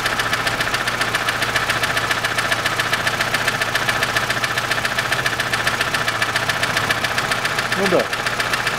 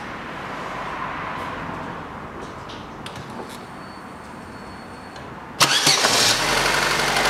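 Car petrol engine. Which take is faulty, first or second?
first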